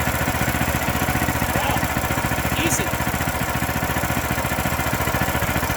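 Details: A new Powermate tiller from Home Depot, on its first test run after assembly with fresh 4-stroke oil and gasoline, runs its single-cylinder engine at a fast, steady beat with even firing and no knocks or misses; healthy.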